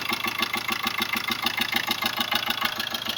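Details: 2005 Ford Ranger diesel at idle: sharp, even "tu tu" puffs about three a second, with knocking heard at the air filter on top. A leaking intake valve is blowing back through the intake.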